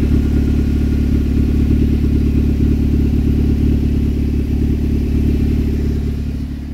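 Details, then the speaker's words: Engine start after the catalytic converter was stolen (cut out between two exhaust pipes while parked at work): a loud, raw, deep roar with steady pulsing, far louder than normal, from the open exhaust. "And let me kind of give you guys the sound of, normally the car shouldn't be this loud, but let me start it up right now."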